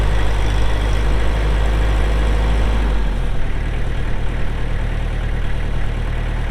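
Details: 2004 Kubota M6800 4WD pre-emissions diesel tractor, 1,181 hours: deep, steady diesel rumble that settles to a lower, even idle partway through, with no knocks or rattles; running normally.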